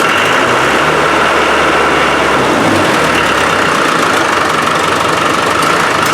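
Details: Land Rover 300Tdi diesel after a new pump was fitted to cure hard starting, old pump likely the cause; even diesel idle with steady clatter and no misses or hunting, running smoothly.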